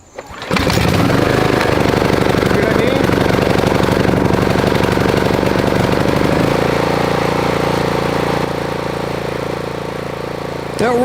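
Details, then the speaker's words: Pull-start engine with high compression: catches after one pull, steady even beat, no misfire, slight spin-down noise suggesting possible bearing wear; normal running. "runs good. You can hear everything spinning now. I hear a bit of noise in there, so it might need bearings."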